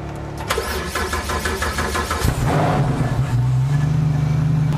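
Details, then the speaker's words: Flat engine, open exhaust with separate bank-by-bank pipes that don't join, rewired harness: starter churns, engine catches in about two seconds and settles into a loud, steady, even idle; healthy. "Ah là ça chante déjà. C'est marrant comment ça change le bruit d'un flat standard."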